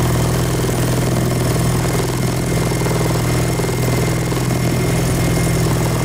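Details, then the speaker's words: K24-swapped turbo Nissan Cefiro, first run after unlocking timing from zero, filmed from the rear exhaust: steady, even low idle, smooth quiet exhaust note, no knocks or misses; normal idle, exhaust likely quiet enough to skip a silencer. "that's a success well i think it's safe to say we're probably not gonna need that silencer for the exhaust this thing's honestly pretty quiet"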